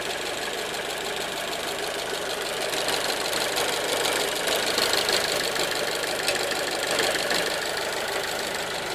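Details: 1.4 T-Jet 155 engine running with fast, loosely regular tapping over hissy background; knocking-type noise of unknown origin.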